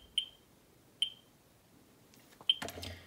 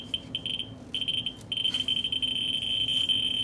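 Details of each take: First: Ludlum 14c Geiger counter with Ludlum 44-3 gamma scintillator, set to x1000, audio on, near a radium-painted Westclox Big Ben clock: meter barely moves but three sharp high chirps at uneven intervals; normal chirping. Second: Ludlum 14C with a Ludlum 44-3 gamma scintillator held close to a Westclox Big Ben clock's radium-painted dial in fast mode: a shrill, near-continuous high buzz with brief dropouts, the clicks merged at a very high count rate.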